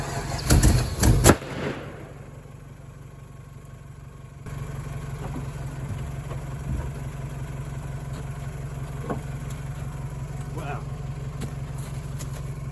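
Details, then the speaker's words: Chevrolet Colorado, long-parked, being revived: two loud sharp bangs while cranking, then only a low steady hum with no firing; backfire on a failed start. Fuel pump heard priming; fuel pressure unconfirmed; cause unclear. "That was a hell of a backfire. Alright, I'm gonna give her one more try and then I'm gonna have to figure something else out, I guess."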